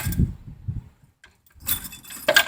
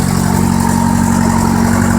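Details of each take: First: 1973 VW Thing engine parked since the early 1980s, carburetor mixture screws set 2.5 turns out, primed, no choke: churning with uneven sputters that don't catch; trying hard but won't start, ignition timing suspected after being messed with. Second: 1973 VW Thing flat-four parked since the early 1980s, gravity-fed fuel, no prime: steady even idle with smooth low thrum, no misses, knocks or ticks, no smoke; running healthy.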